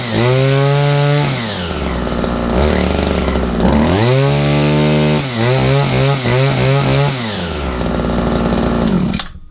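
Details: Owner's own two-stroke strimmer, choke up for on, primed and started on a chilly frosty day after sitting all winter; buzzes cleanly, revving up and down, rising sharply on each blip and dropping smoothly back to idle, running normally.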